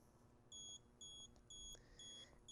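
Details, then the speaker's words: LeakSmart water leak sensor held on a wet cloth across its two pins during setup testing: five short, shrill beeps about twice a second signal a detected leak. "we want to hold this down until it starts to beep I click my sensors beeping"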